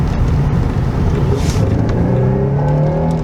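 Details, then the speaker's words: Chevrolet Avalanche test drive after wheel bearing replacement and axle nuts torqued, full-throttle acceleration: strong, clean pull with engine note climbing smoothly, no misses or knocks; healthy acceleration. "Marcus, this got power, Marcus. Yeah. This got real power. Yep. This got real power."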